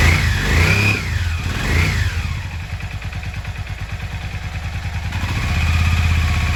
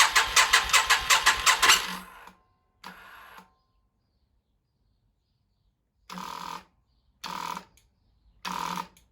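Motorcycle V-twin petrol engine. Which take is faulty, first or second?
second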